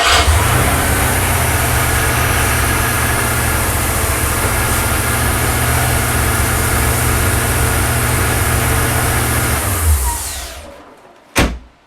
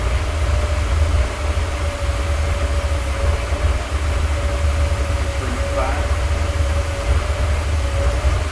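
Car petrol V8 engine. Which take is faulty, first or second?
first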